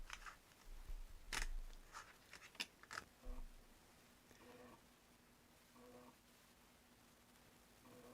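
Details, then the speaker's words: Amiga A500 external floppy drive reading a pirated backup game disc: quiet irregular ticks, short scraping chatters and repeated faint bursts as the drive retries and cannot read; suspected broken game. "Well, that doesn't sound healthy. I suspect this game is broken."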